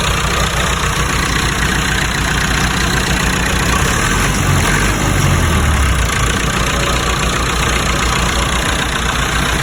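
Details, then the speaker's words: Lincoln welder engine, fully cold after sitting overnight: it catches and settles into a steady, even low idle with no knocks or misses; normal cold start and idle. "Gonna give it a shot before we head out. This is brand cold. Sitting home overnight. Cold engine."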